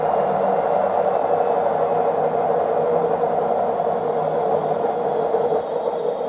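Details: Washing machine at full spin: steady high-pitched screech over a whooshing rumble; worn drum bearings suspected, not confirmed.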